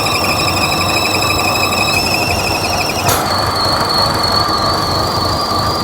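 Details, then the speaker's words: 2014 Buick Encore 1.4L turbo, rough uneven idle with a wavering high-pitched squeal; P0171 lean code, no induction leaks seen. Crankcase ventilation fault builds excess crankcase vacuum, sucking air past the rear or front crank seal. "so it's got a problem with this crank case ventilation system you see how much vacuum it's building in the crank case that's air sucking past the rear seal or the front seal"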